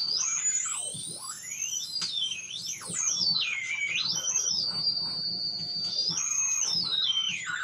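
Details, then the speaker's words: Homemade FET-based AM radio tuner: shrill whistles sweep up and down, then hold steady as supply voltage is adjusted, which affects them; stations barely audible, receiver oscillating, cause not found. "but what do i do about all this whistling noises that it's making and this project is pretty much grounded until i can get that sorted out"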